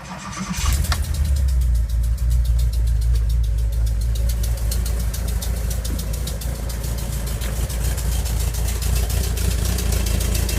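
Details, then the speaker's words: 1985 Volkswagen Vanagon Westfalia just after start-up: crisp ticking clap at about three and a half per second over the low idle; small exhaust leak, otherwise runs well. "it runs pretty good has a small exhaust leak which is a clapping noise the hearing and I'll have to fix that"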